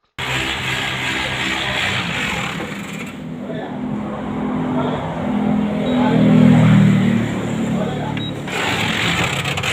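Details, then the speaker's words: Canon iR 4570 office copier makes a super-loud, rough, motorcycle-like grinding rumble during warm-up. Paper also won't feed and jams, and the noise stops other components from working. "masalah yang akan kita bahas kali ini adalah unsur kopi yang super berisik seperti motor ini malah suaranya suara ini muncul ketika pemanasan"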